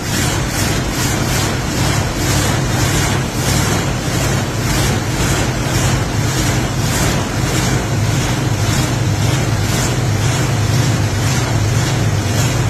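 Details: Older carbureted engine started after sitting, carb bowl primed with gas from a pop bottle to avoid long cranking: steady low rumble with an even firing beat under wind noise, running on its own without stumbling; normal running.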